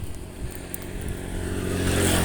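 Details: Honda GL Pro engine, hot, around 3000–5000 rpm, rough sound from top end and loose piston in worn liner/bore, rings not holding compression, also loose valve guides suspected: dull, uneven knock under exhaust as revs climb; piston slap.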